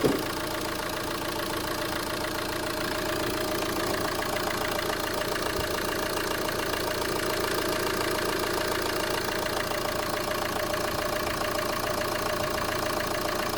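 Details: Renault Megane 2 1.9 dCi after no-start fix with new injection pump and timing belt (rail pressure previously only 2–4 bar): steady even diesel clatter with no misses or surges throughout idle; normal idle.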